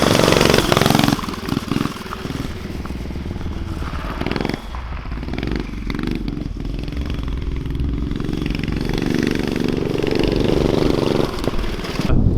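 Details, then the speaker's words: Street go-kart with Predator 212 engine, muffler, homemade throttle linkage working the throttle butterfly, first run: single-cylinder revs unevenly, surging and stumbling instead of pulling clean; running rough, cause not confirmed. "definitely not right. But if it was right, you can tell it would it'd be mean."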